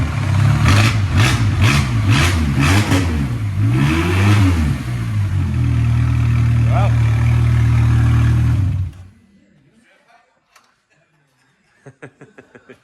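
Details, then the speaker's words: Shop car started, smoking at first from fuel collected in the exhaust pipe while the harness was unplugged; it catches, revs up and down, then holds a steady fast idle and runs cleanly; it sounds all right. "It's smoking. >> All the fuel that's been collected in the demo pipe and I didn't have the harness plug in. >> Sounds all right to me."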